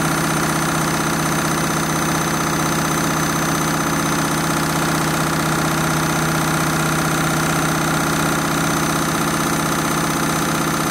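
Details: Candy Mini Load washing machine, Rapid 30 programme, final spin at what the owner thinks is about 1200 rpm: loud constant roar with a faint uneven thump underneath, abnormally noisy spin, cause unclear.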